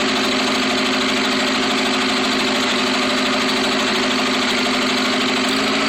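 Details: Rebuilt Atomic 4 engine at idle: loud idle with an uneven, stumbling beat under a steady drone; misfire after the rebuild.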